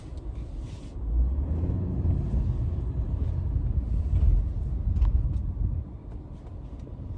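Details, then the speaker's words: 2009 Cadillac CTS while driving: a low, steady rumble that rises with road speed and carries over the road noise. The owner suspects a bad driver-side front hub bearing, later found to be the fault. "you going to see what the noise sound like it like sound so I'm suspecting the the hob bearing on the driver side right"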